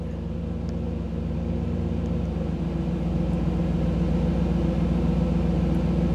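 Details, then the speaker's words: 1985 Camaro IROC-Z TPI V8 with new engine build, warm idle: low, steady, even rumble; idle drops to about 750 rpm when the OBD-I scan tool data stream stops; normal warm idle. "so you could hear the difference in the idle what that is is when i dropped out of when the when i went out of the tools display when it's not getting the data stream then the idle drops back down"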